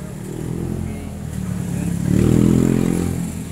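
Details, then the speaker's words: MX 155 motorcycle idling and revving with a fast, loud valve-train ticking that follows engine speed. A pushrod is sticking in its guide and striking; a tune-up alone won't quiet it until the sticking pushrod is fixed. "Tsaka ayusin ko na rin po itong dumidikit na to, kasi kahit tune up ka ng tune up dito, maingay pa rin po yan kasi nakatikit nga siya eh. Hindi po makukuha sa tune up yan pag hindi ayusin yung nakatikit."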